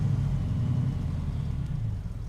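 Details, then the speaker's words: 1936 Plymouth Roadster at pre-purchase inspection, just started, foot released from the accelerator: uneven, lumpy loping idle with no steady rhythm; engine shaking pretty bad, rough idle, cause unconfirmed. "Okay, so it's shaking pretty bad right now."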